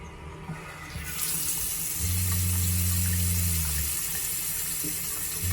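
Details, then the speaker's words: Shurflo RV water pump running directly off batteries at reduced voltage: low hum cutting in and out every couple of seconds over running water, flow changing; pump short cycling, fix is adding an accumulator tank. "might you might be able to hear the pump recycling and that the water flow is changing"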